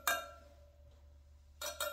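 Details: Harley-Davidson on a lift during a winter safety and fastener inspection: front wheel spokes tapped one by one from the valve stem, each giving a bright, clear musical ping with no dull thud, so all spokes are tight.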